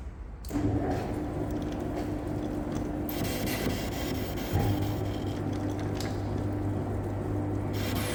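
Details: Lathe machining a seized piston off a Komatsu PC1250 excavator bucket cylinder rod: a harsh, high hissing cut over a low drone swells as the insert hits a heat-hardened spot, wearing out the insert.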